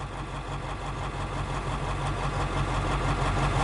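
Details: 1956 Studebaker Golden Hawk V8 first start: even, low burbling idle with a steady pulse on all cylinders, no knocks or ticks. Smoke is PB Blaster on the exhaust manifolds. Owner thinks it needs running-in and plans compression tests and a valve check.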